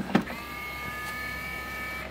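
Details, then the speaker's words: RCA PR8070D 5-disc CD changer, manufactured September 2002: a click, then thin whirring motor hum about two seconds; tray opens a little then pulls back in, won't open fully; belt replacement planned. "and it opens a little bit and then sucks it back in come on"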